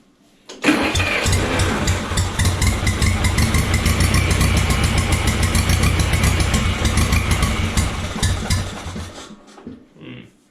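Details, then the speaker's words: 1950s barn-find Schramm air compressor engine, first run after revival, air valve open for starting. Catches, runs with uneven lumpy beat, then sags and dies, starving for fuel; owner suspects float set too tight, and a temporary tank not delivering fuel was found. "acts like it's not getting enough fuel now hmm"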